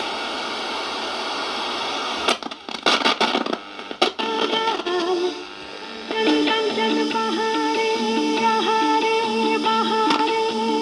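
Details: Previously dead radio after repair, on mains power: crackling static and tuning sweeps settle into clear broadcast music with steady tones; the receiver is picking up stations properly.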